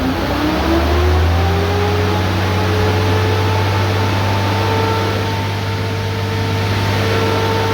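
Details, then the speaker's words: 6.7L Cummins Ram pickup at idle, coolant only 143°F: the fan clutch is locked up and the fan spins about 1,000 rpm, faster than the engine, giving a loud airy roar like an electric fan or AC-on fan; engine then revved. "I don't know if you can pick it up, but I mean, obviously at idle you can hear that fan. Sounds a lot like an electric fan on other engines when they come on."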